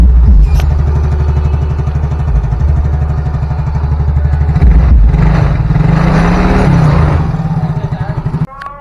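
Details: Yamaha Mio J scooter after repair of stalling and compression loss from valve clearance tightening when hot, combustion chamber cleaned: even low putter at idle, picks up cleanly on a throttle blip and settles; runs smoothly.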